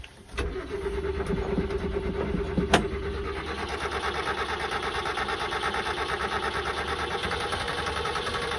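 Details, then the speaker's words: Subaru Sambar kei truck after winter storage, after priming the fuel pump and filling the carb bowls: brief crank, then it catches and settles into a steady even idle with no misses; it now runs. "it goes we got fuel come on baby yes [Music] she's a runner all right put the air filter back up all right she sounds pretty good"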